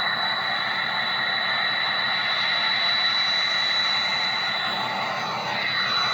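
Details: 6.0 diesel truck, runs well mechanically but has a hot no-start: a clean, steady high turbo whistle over the diesel rush with no flutter or scraping; the turbo sounds healthy.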